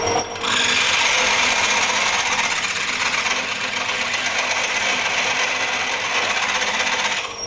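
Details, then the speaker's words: Drilling a 22mm face mill adaptor for a 12mm x 1.75 thread: 10 mm drill gives a high raspy cutting hiss with uneven chatter through a hard spot in the steel, generating heat; easier past it. "let's try a sharp eight it was just that bit that's hard after that it's okay"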